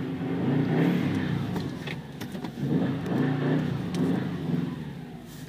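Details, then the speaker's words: 2009 Subaru WRX manual with custom downpipe, pulling away with clutch fully released: revs rise and fall unevenly while the car barely creeps and won't grab; slipping smoked clutch, due for replacement. "yeah that revving that clutch is all the way released right there and it uh it's just not grabbing at all"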